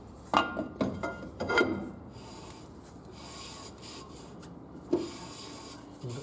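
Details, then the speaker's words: 2006 Scion xB rear drum brake, new drums and Brembo shoes after Centric shoes wore drums in 6,000 miles, drum turned by hand after adjusting and centering with handbrake: short scraping rubs fading between strokes; slight shoe-to-drum rub, judged acceptable. "a little rub I've pull the handbrake on just to help center it as well there's a very tiny rub there I'm going to call that good"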